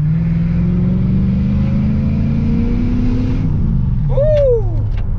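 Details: Engine under acceleration after replacing exhaust manifold gaskets to fix a ticking under load, which was not the EGR: smooth drone climbing steadily with revs, no ticking or exhaust tapping; engine sounds healthy under load.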